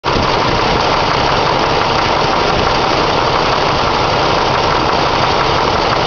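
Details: Ford 302 cu in V8 idling with a light, uneven, intermittent knock; the owner first suspected a loose rocker arm, but two mechanics called it harmless piston slap.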